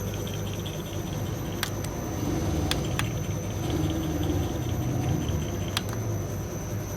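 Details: Mercedes on vibration test stand with microphones, after owner replaced many suspension parts: irregular sharp knocks, about five in seven seconds, over steady shaking rumble at rear; worn shock absorber bushing.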